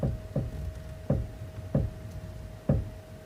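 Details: Suzuki Swift Sport (ZC33S): five sharp, unevenly spaced knocks with light steering input, not heard at higher speed; steering clunk, cause not yet clear.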